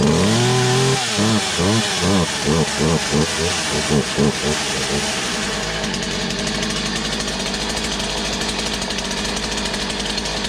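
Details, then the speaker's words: Poulan 2150 chainsaw with a new cylinder and piston, running a cleaned OEM carburetor: surging, warbling two-stroke that settles into a rough, wavering high buzz; owner thinks the carburetor is the cause. "well at least she's running every time I want to have it idle hope this cord's getting bad don't call it a Poland for nothing so this is primarily a carburetor thing at the moment I think"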